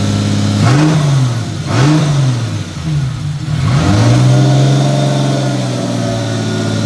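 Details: Toyota 2JZ-GTE after new GSC valve seals, timing components, turbo setup and AR5 transmission, intercooler piping fitted: fires, two rev blips, then steady even idle with no knocks or ticks; runs smooth.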